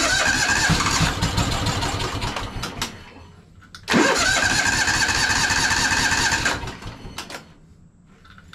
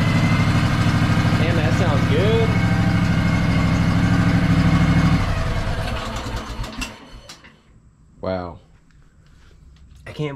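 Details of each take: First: Craftsman DLT3000 lawn tractor, water-contaminated stale fuel drained from the carburetor bowl: two long even cranking bursts, engine never firing while the bowl refills. Crank no start from water in fuel. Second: Craftsman DLT3000 lawn tractor with 16.5 hp twin, had stale fuel, dirty air filter and start trouble, now starting through a piggyback solenoid: runs steady and even at a smooth idle about five seconds, then shuts down cleanly; sounds healthy.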